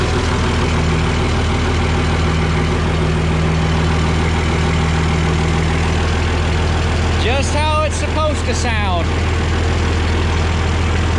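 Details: Oliver 1950T tractor, 310 diesel, just started after starter repair at 20 degrees out: steady, even low diesel clatter at idle with no misses or grinding, settling into warm-up; normal diesel idle.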